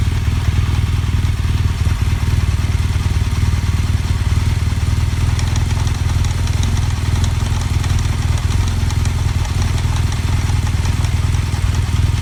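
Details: BMW GS Adventure boxer engine at idle: loud with a fast, uneven metallic clatter over the thump; something abnormal is rattling, source not identified.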